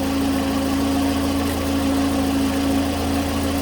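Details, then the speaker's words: 2009 Pontiac Vibe towed in with a dead battery, radio and power steering lost, warning lights on: a steady idle with an even, constant whine, while charging voltage falls to 10 V. Failed rectifier diode in the alternator; the alternator is to be replaced. "that's special definitely has a bad rectifier in the alternator so we're going to order up an alternator for this thing"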